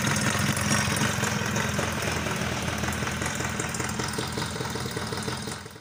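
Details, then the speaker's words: Suzuki Tornado two-stroke before repair, with a scored cylinder, worn crank bearings, a worn con-rod and a worn piston (later rebored and replaced). A harsh, rattly idle with an uneven clatter over the engine note. "Karena untuk seri yang lama udah pada baret-baret yang hingga kalau kita tidak menggantinya maka akan bunyinya akan kasar seperti pada awal video tadi ya kita dengar suaranya sangat kasar sekali"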